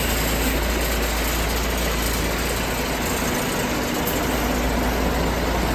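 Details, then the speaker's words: 1973 Ward fire truck, little driven for several years, idling after an early-morning start. Deep, even rumble with a steady beat and no knocks or misses; fired right up and settled into a healthy idle. "All righty. Sounds good. Fired right up."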